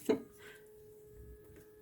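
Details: Window with plastic reveals hums a steady pure tone from a draft while a window in another room is open. Wind blows through gaps that were poorly foamed and not sealed from outside.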